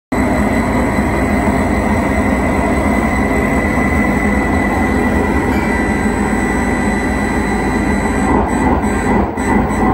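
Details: 1978 Bally Midway Space Invaders arcade cabinet with Braze kit: all RAMs and ROMs pass but the kit shows a bit fail, with a loud, harsh, steady roar and faint whistle nonstop from the speaker instead of normal sound.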